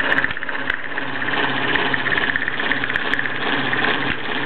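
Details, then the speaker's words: Bowman E158 steam engine, circa 1927–35, running a few minutes after clearing water and priming, driving a 1952 grinder via line shaft: quick, even chuffing with light shaft clatter, no knocks; making light work of it, normal running. "as you can see uh the little 158 is making light work of it it's literally just been running a few minutes I've given it a chance to get rid of the water and priming that it normally does"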